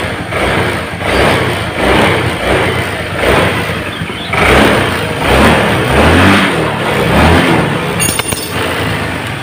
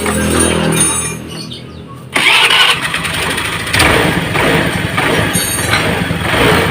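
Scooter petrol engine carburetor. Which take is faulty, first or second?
second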